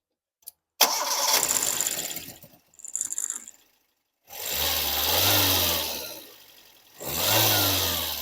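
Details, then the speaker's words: Car that would not start, restarted after the fuel pump was replaced; the no-fuel fault was diagnosed by spraying starting fluid into the throttle body: short crank, prompt catch, two clean even revs; normal start. "we're going to start our engine so we can show you that we have resolved the problem just by replacing a few pump that we diagnose by spraying some fuel into the throttle"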